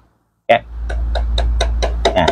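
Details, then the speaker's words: Electric fan with oscillation engaged: motor hum with sharp regular clacks about four times a second; cause is stripped oscillation gear set. "ก็คลายน็อตออกมาเลยครับสาเหตุที่มันดังเห็นไหมคือชุดเฟืองมันรูดนะครับ"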